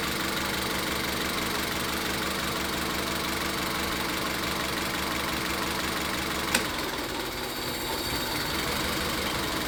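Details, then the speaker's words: Engine with a misfire in cylinder three, spark ruled out, injector-connector power balance test: steady idle roughens and the engine stumbles and shakes when an injector is cut; cylinder misfire with the cause not yet confirmed. "Entonces, ya en este punto nos estamos dando cuenta de que hay falla en el cilindro tres y de que el problema no es la chispa."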